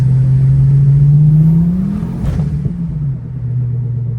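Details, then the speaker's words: Ford Focus ST225 road test after drive shaft replacement: deep steady front drone under the road noise that sinks as the car slows; owner suspects a wheel bearing or the passenger-side hub, not confirmed. "We still have a noise. And do you know what? The bearings ain't moving."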